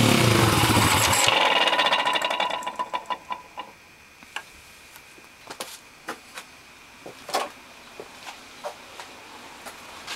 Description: Here is my PitsterPro x2 making some weird noise.